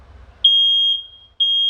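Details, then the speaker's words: Smoke detector on adapter power, smoke test: ignored light smoke, alarms once smoke is dense; loud high half-second beeps repeating after short gaps, working properly. "gördüğünüz gibi çalışıyor arkadaşlar yani böyle e yoğun duman olacak ki çalışsın güzel çalışıyor başarılı"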